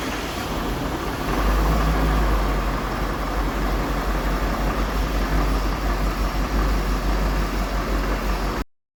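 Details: Ford 6.7 Powerstroke diesel at idle on first start after the owner's engine rebuild with fresh oil, new filter and coolant (an unseated O-ring coolant leak was fixed): steady deep even rumble with no knocks or rattles; normal diesel idle.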